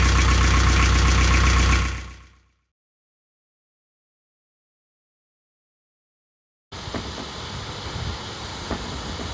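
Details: Canaline 42 narrowboat diesel after full service (engine oil and filter, gearbox oil, air filter, belts checked): steady, even chug about four beats a second for two seconds, then stops; owner says engine is fine; normal diesel idle.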